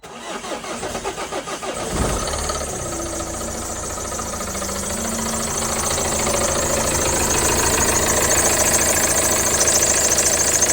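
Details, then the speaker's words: Vauxhall Movano / Renault Master 2.3 CDTi RWD diesel van starting and idling: busy metallic rattle from the worn, wobbling dual-mass crankshaft (bottom) pulley. "So, I don't know how well that showed up on camera, but that bottom puller is rattling and wobbling about a bit more than it should do."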